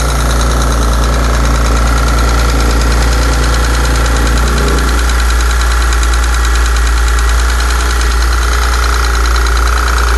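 Steady V8 idle with a light, loosely regular tick riding over it, about three a second; source of the tick unclear.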